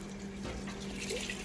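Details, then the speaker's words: Maytag Bravos HE top-load washer, lid lock removed, adding water while the drum keeps turning during its roughly seven-minute load-sensing cycle before the wash; steady trickle and splash, nothing harsh or grinding: normal water fill. "it's adding the water and like I said it will continue to spin as it does that it's all part of the sensing cycle so we'll let it go through and do that it does that for about seven minutes or so"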